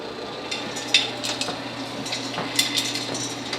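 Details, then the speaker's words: 1959 Axeman Anderson 130M coal stoker boiler on low slow setting after the solenoid engages at 81°C: steady fan hum at just under 1300 rpm with light scraping rattles from the auger turning under 4 rpm; normal stoker operation. "now it's running this is the low end slow settings the fan is running just a little under 1300 rpms right now"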